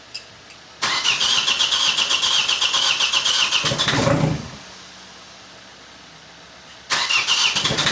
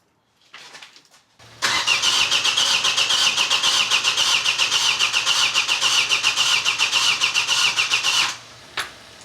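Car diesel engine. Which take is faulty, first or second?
second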